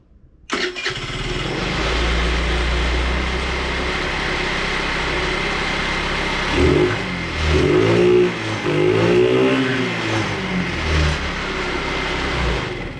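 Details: Scooter after flushing the fuel tank, cleaning and priming the carburetor; it catches quickly, settles into a steady run and picks up cleanly on throttle blips. It runs normally, and the owner thinks a bad battery was the main problem.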